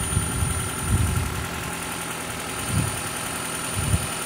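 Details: 2012 Toyota Prius 2ZR-XFE engine knock during an oil pressure test: idle with uneven low thumps roughly every second over a steady hum; engine shut off if knocking grows, pressure seen dropping slightly.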